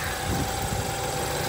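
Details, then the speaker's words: 2014 BMW twin-turbo, decent miles, some oil staining, at salvage auction yard: brief smooth steady idle with no knock, tick or misfire; engine sounds healthy. "Twin Turbo Power bit of oil stain right there but not bad it actually sounds healthy it's okay decent miles for a 14"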